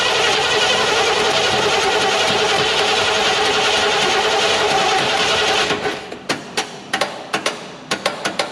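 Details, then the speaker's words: Chevy Nova Super Sport with a replacement distributor, vacuum gauge on and ports plugged. Harsh grinding crank for five seconds, then uneven clicks. The starter is sticking and won't turn over cleanly; owner goes to smack the starter. "see what i mean about the starter okay oh we'll be back see if i can get it started or not okay i'm going down to smack the starter"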